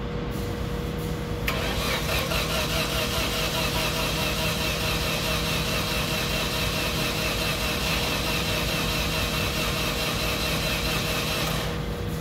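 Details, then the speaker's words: Caterpillar with 4G63 engine, no-start, reported low compression on all cylinders, cranking test with transducer on cylinder 4 (only 46 psi, abnormal vacuum): steady cranking about ten seconds, never catches. "you heard it cranking all right it's not starting so let's go back and take a look at that waveform"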